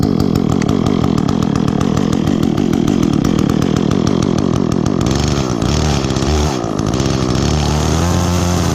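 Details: Echo chainsaw, chain worn from maple cutting, last run two or three weeks ago, started on choke after priming with chain brake on: crisp revs climb and drop smoothly, then settle to an even idle; bar oil spews when revved, normal running and revving.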